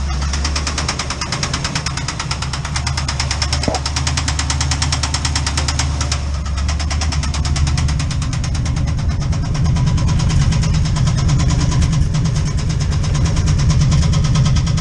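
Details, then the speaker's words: Chevrolet C10 with 307 V8 at idle, heard from the engine bay: heavy, uneven thumping knock about three hits a second under the rumble; a piston is hitting the cylinder head, and the engine normally smokes at startup. "and if you come around here to the engine bay you can hear she's hitting pretty good"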